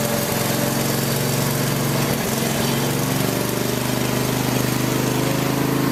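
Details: Craftsman lawn tractor after no-start repair with new carburetor parts including float needle valve, idle over a year, full gas tank, warming up: small single-cylinder engine steady and even at constant speed, no misses or knocks; normal running.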